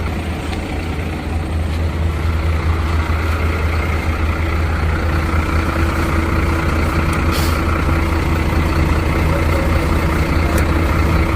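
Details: Truck parked four days in hot Goa would not self-start; jump-started from another truck's battery and now idling clean: steady low diesel rumble with an even beat, no misses or knocks. Battery condition still unknown.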